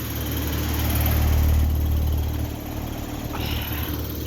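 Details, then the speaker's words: Carrier Sentry heat pump outdoor unit: steady fan hum with no compressor drone, and the lines are warm instead of cold. Owner suspects the compressor quit or the unit is low on refrigerant, unconfirmed. Fan only, compressor not running. "All right, guys. So, it just started running without the compressor."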